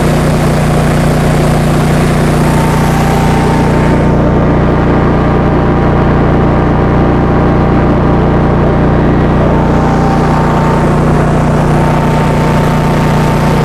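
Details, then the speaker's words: 2015 Cummins Power home standby generator, Briggs Vanguard engine, after rotor repair, warming up on a load bank at 3 kW, about 40 A at 240 V, 60 Hz: steady drone with strong low hum, no misses, surges or knocks. Holding load smoothly. "thing is quite quiet when it's running. Turn the load bank on, fans are going. Let's warm it up. We'll put 3 kilowatts on it."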